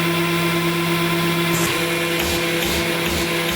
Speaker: This machine will turn on. There is no pump button. It will turn on immediately as soon as you push the run button, and then feed.